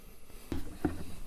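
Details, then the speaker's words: 2010 Cadillac Escalade (2005-2013 GM truck) after a radiator replacement, while coolant is topped up: a couple of low hollow bloops about a third of a second apart. Trapped air is burping out; these bleed easily through the cylinder-head crossover steam ports. "can hear the air burping out. Bloop, bloop, bloop, bloop."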